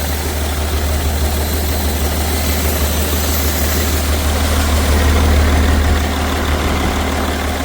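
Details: BMW 330d M57 diesel idling with heavy blow-by, loud lumpy uneven drone, down on a couple of cylinders and starting to run away; turbo failure and melted pistons suspected, unconfirmed.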